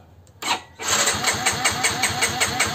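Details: Yamaha X-Ride injection scooter (fuel pump not humming): the starter cranks steadily at about four pulses a second but the engine never catches; no signal or spark at the coil, so crank, no start.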